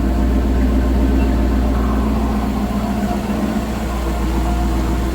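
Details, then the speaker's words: Rambler V8 with a Holley Sniper EFI installed almost three years ago, heard at the engine bay: light, quick, even sewing-machine ticking over a steady idle, which is normal injector noise, not a fault. "It's running like a, just sounds like a sewing machine. It's just the injectors making a little noise."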